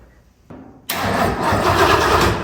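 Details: 1966 Lincoln Continental not started in over two years: starter spins the engine over at a steady even beat and nothing catches; crank with no start, no firing.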